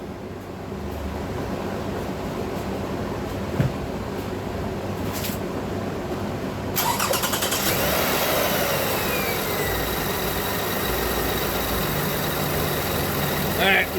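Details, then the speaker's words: Lexus ES330 engine start after replacing power steering and alternator belts: starter cranks briefly, engine fires and settles to even idle with no squeal or chirp; harmonic balancer turning fine, new belts running quietly. "No squealing. That's the start of a good situation. Harmonic balance is moving fine."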